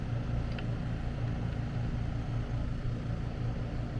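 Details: AC condenser running after repairing a compressor disconnect where a mounting screw shorted a high-voltage leg and tripped the breaker: even low hum with a gentle steady pulse, no rattles or buzzing; runs smoothly at about 239 V.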